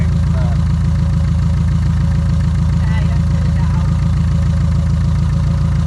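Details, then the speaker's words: 1976 VW Kombi air-cooled engine idling, charging 14 volts: fast, slightly uneven buzzy rattle on each exhaust pulse from welding wire left inside the exhaust by the welder, not an engine fault. "it's not a terrible engine fault like it sounds it's cuz the the welder got welding wire inside the exhaust and it sounds like that forever and ever"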